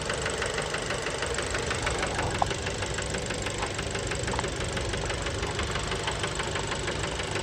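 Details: Fiat Bravo 2 1.4 T-Jet 150 HP, 215,000 km, after recent maintenance, warm idle recorded close to the engine: steady, fairly even knock about three per second; worn rod bearings, cause unknown, car scrapped.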